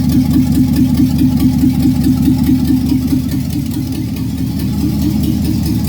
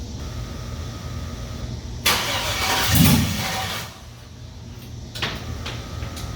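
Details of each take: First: 5.3 LS V8 in a C-10 rat rod, first run, no exhaust and no O2 sensors fitted: loud, raw, even exhaust pulses at a steady idle with no ticks or misses. The truck hadn't run in about 20 years; a healthy idle. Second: 5.3 LS V8 in a C-10 rat rod, first start after fresh fuel, no HP Tuners tuning yet: two cranking attempts each catch into a short roar, then die. Owner suspects the factory security still being active is why it won't stay running.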